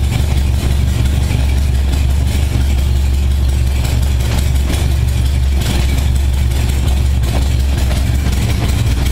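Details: 1978 Honda Goldwing, cold start on choke after carb sync, after brief warm-up: deep steady low rumble with even firing, no misses or hunting. Normal smooth idle.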